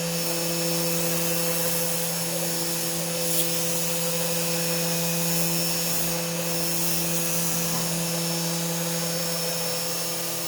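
Even, steady high-pitched drone with a constant tone throughout, no knocks, chatter or stutter; the router is running smoothly.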